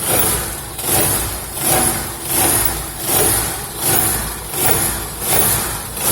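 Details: Idling car with a pulsing metallic buzz and vibration from underneath after hitting something on a dirt road; a dented skid plate touching the oil pan.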